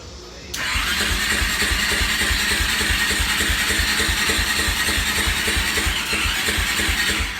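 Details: Suzuki LTZ400 quad with a new stator fitted and good spark at the plug; starter churns evenly about three strokes a second for seven seconds but never catches. Owner hopes it isn't the timing. Cranks but won't start.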